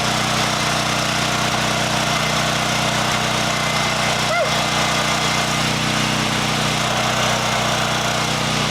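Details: Champion EFI generator after its fuel pump was rechecked and let build pressure before starting. Steady, even engine drone with a constant hum and no surging. Normal running.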